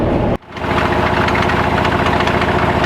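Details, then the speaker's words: 1965 Chevrolet C10 step side truck idling steadily with a faint constant mechanical drone and whine on top; the power steering pump is starting to make real bad noises. "The power steering pump is starting to make some real bad noises."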